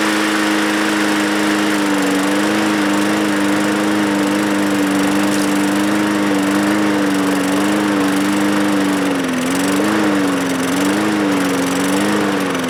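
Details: Bolens lawn mower with Briggs engine, pulled from trash and not starting, given starting fluid sprayed directly into carburetor throat: runs with a steady buzzing note that wavers and hunts near the end; runs only on starting fluid, carburetor then cleaned.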